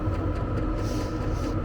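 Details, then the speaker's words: Vevor diesel heater installed in a Fiat Ducato camper van, accelerating to full power (position 1) after a 2–3 minute startup with the pump audible and exhaust smoking. A steady low hum and fan rush with no surging or knocking. Operation is normal. "Là, il accélère. Là, il accélère. Allez, je vais doner. Là, il est à fond. Position 1."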